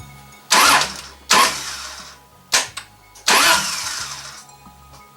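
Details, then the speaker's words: 1JZ-swapped widebody Toyota Supra after a starter replacement: several sharp catches, each roaring briefly then fading within a second or so; the engine fires but won't idle, cause still unknown. "okay so you heard it start again yeah it doesn't want to run like Idol at all so I've got some more tinkering to do"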